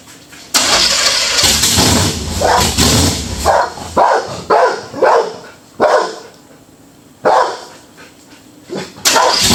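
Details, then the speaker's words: Budget Beater Chevelle, just revived, distributor re-timed. It catches, then surges in repeated rev bursts and won't settle to a slow idle. Fast idle; the owner suspects it's running on the old fuel, unconfirmed. "i think it just wants to go fast pops don't want to shut off i don't want to do nothing probably using that old stuff"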